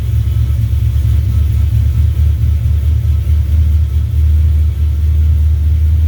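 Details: 1970 Duster 340 V8, started a little cold after new pushrods and intake gaskets replaced short pushrods that had caused ticking or knocking. Deep, even rumble at steady loudness with no ticking or knocking; clean normal idle.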